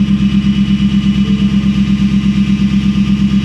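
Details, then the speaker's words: Truck at Copart, put in gear/reverse: a steady low whine over the running engine with an even pulse of nearly three per second. It is getting worse. Transmission whine; a failing transmission pump is suspected, not confirmed. "gears oh that sounds like the transmission it goes backwards you hear that I think that's a transmission I think the transmission pump is"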